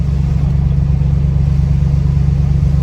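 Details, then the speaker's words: Lincoln Town Car V8 ($1,200 beater, burns oil, overdue change) driving at low rpm in rain: deep even loping burble, steady pulses, no knocks or misses; healthy V8. "my favorite part about this car right here listening to a V8 turret at low RPMs"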